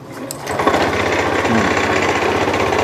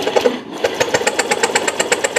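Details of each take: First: Small single-cylinder fuel-injected motorcycle that arrived dead and is now running after the spark plug and plug cap were replaced: catches and settles into a quick, steady patter at fast idle with even firing and no misses. Normal running. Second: Fuel-injected motorcycle brought in dead, no-start: even cranking at about seven beats a second that never catches; plug found dark, drowned and not standard, spark appears but may be weak; fouled spark plug.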